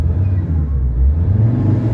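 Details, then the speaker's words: Ford Ranger 3.2 diesel after an XADO engine treatment: a deep, heavy rumble that swells quickly and evenly the more the throttle is pressed, with no stumble. The rpm has recovered and revving is normal. "So kung iapakan mo pa, the more mong aapakan, the more siyang magagalit."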